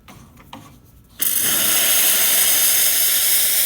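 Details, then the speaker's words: Lelit espresso machine after pump replacement for zero pump pressure: steam wand gives a strong, steady high hiss without sputtering, boiler dropping from about 1.8 to 1 bar while still strong; steam working normally. "You can see the bar. We were about 1.8. Now we're about at 1. Still strong."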